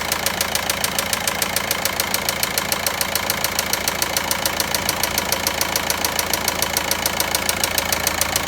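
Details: VW Passat 1.9 diesel at idle: sharp, very even metallic ticking three to four times a second over the diesel idle; engine knocking noise, source unknown.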